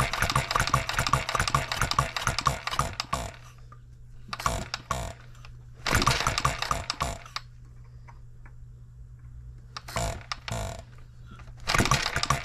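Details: Engine built 1988, not known when last run, crank just straightened, buzz-coil ignition: pops and fires in irregular bursts with quiet gaps, right after first start. Erratic running; owner suspects junk in the fuel system.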